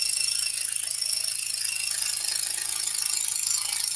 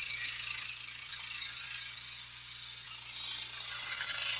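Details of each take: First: Scroll saw cutting a large piece, about 37 by 23 7/8 inches: fast, even, high-pitched blade ticking at a steady rate, and the cut runs smoothly. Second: Scroll saw cutting a large piece steered by its outside edge, hands away from the blade: fast high-pitched rattling chatter about four hits a second as the unsupported workpiece bounces.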